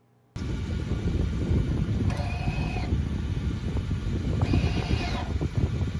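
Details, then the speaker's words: 2016 Honda HR-V LX AWD, over 7 years old: two short electronic parking brake motor whirs, each about half a second, over a low idle rumble, clean with no squeal; the brake is engaging normally. "So here's a sound clip of how it should sound like. This is how a normal electronic parking brake sounds like when it's engaging."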